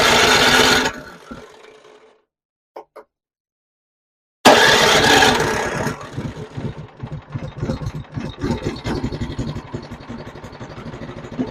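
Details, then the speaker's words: Newer TroyBilt snowblower after repair and reassembly, started with key on choke: catches after a pause, then chugs low and uneven with irregular pulses, never reaching full throttle; owner suspects throttle setup. "okay she's not running very fast yeah she runs but she's not running very good so it sounds like the throttle's not set up right"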